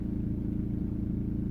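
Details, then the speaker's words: 2003 VW Passat B5 1.9 TDI 130hp idling with buzzy rattle on each firing pulse from the engine bay, intermittent, louder then quieter; unchanged when first gear engaged so owner thinks not the dual mass flywheel, air filter box removal made no difference, source unknown. "I first thought that it's something with a dual mass flywheel making this rattling noise but with a gear engagement it should have had a slightly different louder or quieter but hasn't changed so it I think is independent of DMF and is something else"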